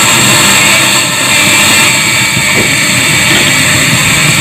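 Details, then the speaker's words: Active speaker amplifier with no music playing: loud steady hiss with rough rumbling 'grok-grok' underneath; noise on its own, cause not yet found. "Suaranya berisik grok grok atau apa ya Ada suara yang mengganggu"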